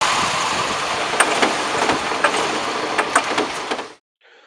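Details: Petrol engine run-on (dieseling) after switch-off: it keeps chugging and knocking unevenly, then dies abruptly; cause suspected, not confirmed.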